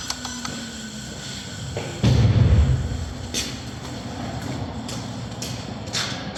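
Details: Renault Clio with suspected head gasket failure, just restarted after compression test with plug leads refitted: thump as engine fires, then settled even idle with no misfire or roughness; normal idle.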